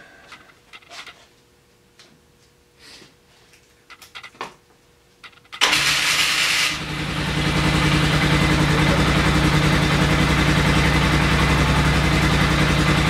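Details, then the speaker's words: 2000 Polaris 6x6 after repairs, rewired with aftermarket carb fed from an auxiliary tank: cranks, catches cleanly and settles into a fast, even idle with no misses. Normal start and idle. "You can hear this bad boy fire up."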